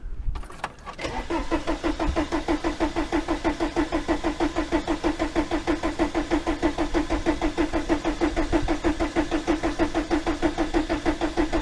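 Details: 1987 VW T3 camper with AHU TDI engine after new fuel pump installed: even starter cranking about three compression beats a second with pump clicking; never fires, fuel apparently not getting through, cause unconfirmed.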